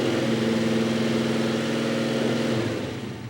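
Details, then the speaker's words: 1941 Chevy truck, 350ci small-block V8 after Accusump install, no leaks, restarted with oil pressure building to about 30: revs up strongly, settles back evenly, no knocks, ticks or misses; normal revving. "could get about 80 pounds of pressure in this thing. Good."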